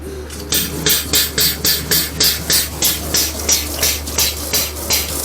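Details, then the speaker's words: Used Flojet BIB syrup pump bench-tested with sanitizer through an auto shut-off and BIB connector during refurbishment. Crisp, even hissing strokes about three per second with no stumbles or knocking. Water flows well. Normal pump operation. "You see it's pumping through pretty good. See how it's see the water flowing really good. Water flow's not bad at all."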